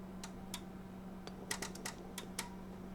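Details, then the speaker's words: Yaesu FT-1000MP transceiver on 110 V, internal 12 V power supply: relays click in over steady low hum, then set shuts straight down, supply only reaching about 10 volts. "came on and dropped right back off okay it shut turned on then shut down okay hear the relays kick in so but she wasn't putting out full Voltage she was only putting out about 10 volts"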